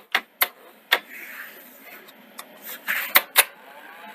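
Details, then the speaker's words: Sony SL-C30 Betamax after front-loading mechanism rebuild: sharp uneven clicks and clacks as the loader cycles, tape failing to load without help; switch alignment suspected, not confirmed. "i think this has to be something still with the alignment or the alignment of the um the switches i mean you hear them clicking"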